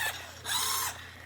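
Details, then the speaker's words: Black JRL R/C Dodge Viper RT/10 (49 MHz), driving forward and reverse: a brief high gear whir rises for about half a second, then stops; the steering servo strains but the wheels do not turn. "unfortunately there's something wrong with the steering servo here I can hear it trying to turn but it's not turning"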